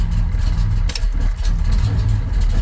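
Deep, even low rumble with a smooth, regular beat and no misses or knocks; the engine idles healthy.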